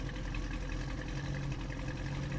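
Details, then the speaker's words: 1968 Ford Mustang GT coupe during pre-purchase inspection, just after startup with a little puff of smoke: quiet, even low V8 rumble at cold idle with no stumbles or skipped beats; no misfires heard. "it idle for a little bit. I'm not hearing any misfires."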